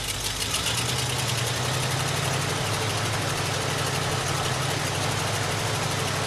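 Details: Early-1980s Ford F-150 donor truck just revived, untuned and previously out of gas: the engine holds a fast, steady high idle with no dip, set deliberately high to keep it running in gear.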